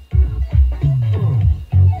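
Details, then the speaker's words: 300 W RMS subwoofer after repair, back in its box at moderate volume: clean, punchy bass with no buzz. The earlier buzzing was suspected to be debris making the voice coil rub against the magnet. "yeah it definitely sounds a lot better than it used to to not making that horrible buzzing sound anymore"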